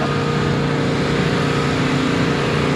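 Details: Nissan Skyline R33 GTST, RB25DET petrol engine, idling steady and even after coil replacement; it previously had a slight misfire and vibration when cold.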